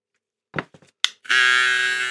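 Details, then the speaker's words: Electric clipper with the new Zircon/Rosius blue blade. Handling taps, then a sharp high steady buzz, louder and higher than normal; owner unsure if the lever moved, something inside seems shifted. "Sí, se ha alzado un poquito. Pero no sé si es la palanca que se ha movido."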